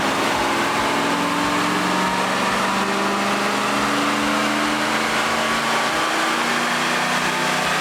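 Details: Chevrolet on chassis dyno, described as possibly 20 years old: steady even roar climbing smoothly in pitch through full-load pull, no knocks or misses; healthy, made 184 horsepower.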